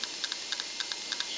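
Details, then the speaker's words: Failing hard disk in an old Mac that Mac OS disk utility no longer detects: sharp, dry clicks in quick pairs, about six a second. Click of death. "in fact you can hear the hard disk making a very distinct clicking"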